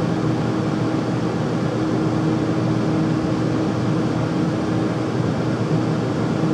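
Loud steady roar with a faint constant hum on top and no change over the run; the furnace is noisy, cause unknown.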